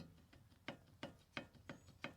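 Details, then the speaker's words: Jeep Wrangler YJ Dana 30 front axle with the microphone held close, no engine running: sharp, distinct knocks about every third of a second. Worn ball joint clunk; new ball joints to be installed. "There's a little bit of clunk in these ball joints."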